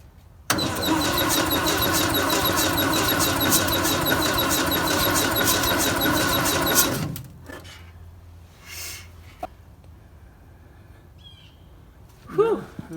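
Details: 1958 VW panel bus, sitting for 50 years, with a new starter fitted: steady starter churn about four beats a second for seven seconds, never catching, then it stops; it cranks but won't fire because there is no spark.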